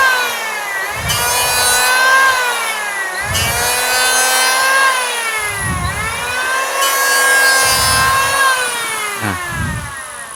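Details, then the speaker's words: Electric wood planer spinning up to a high steady whine held evenly through each pass, no wobble or rattle; slight vibration at high RPM is normal, smooth-running planer. "Nah, mesin yang bergetar itu sebenarnya wajar ya, karena ini perputaran RPM tinggi."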